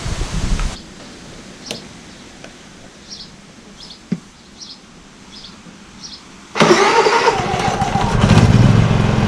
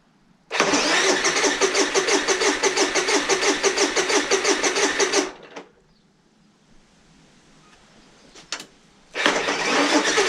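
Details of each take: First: Honda EU30IS generator, GX200 engine rebuilt with new piston rings, gasket and reset timing after severe smoking: one pull, pause, then it fires on the next pull and settles into a steady, even run, no smoke, no misses. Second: Honda EU30iS (EU3000iS) generator, GX200 engine just rebuilt with a new piston, piston rings, crankcase gasket and reset timing, with oil in the cylinder: steady cranking at about three turns a second but it never fires; cranks, no start.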